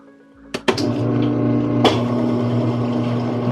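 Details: Whirlpool direct-drive washer that would not agitate or spin but drained, after motor coupling replacement: a couple of clicks, then a steady even motor hum with no grinding; now spinning properly, brake hits hard.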